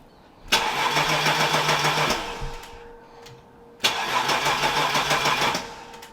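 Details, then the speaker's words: BMW E30 323i Baur first start attempt after 10 years sitting, fuel gauge near empty: two even 1.5-second bursts of starter cranking, engine never catches; no fuel getting through. "All right, so here we go, the moment of truth. First start for the E30. Doesn't sound like anything's happening."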